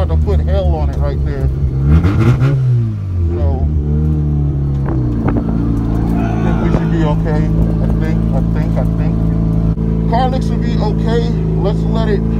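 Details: Mazda RX-7 FC rotary driven hard; revs climb and fall smoothly through hard revs with no misfire, knocks or rattles; rotary sounds healthy under load, exhaust reported much better.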